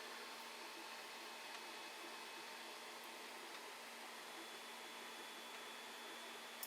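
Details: Creality Ender 5 Plus Meanwell RSP-500-24 power supply with its noisy stock fan replaced by an 80mm fan, case holding about 49°C: very quiet, even hum and soft airflow hiss, no rattle or buzz; normal fan running.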